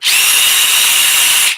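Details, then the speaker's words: Healthy reference impact driver: a shrill, steady high buzz with fast, even hammering chatter. Normal impact operation. "Okay, this is what a healthy impact sounds"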